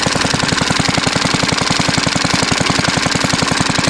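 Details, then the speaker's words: Fairbanks Morse Z style D stationary engine, believed 1938, after points cleaning, oil change and fuel system cleaning: fast, slightly uneven chuffing about a dozen beats a second, running too fast with weak firings; misfire, not running right. "today still not running right you can hear it"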